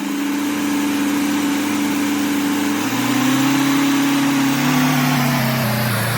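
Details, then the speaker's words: 1979 Ford Econoline 350 with 460 big-block V8, sat for some time with no spark and no fuel, now running steadily on its own after the mechanical fuel pump was primed; fuel dirty, possible rust in line. "So as you can see, we were able to get the fuel pump primed."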